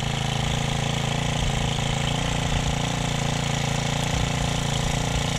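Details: Honda FG110 tiller, salvaged and started on the second pull with the choke then opened: steady fast single-cylinder chug with an even beat and no knocks or misses; running normally.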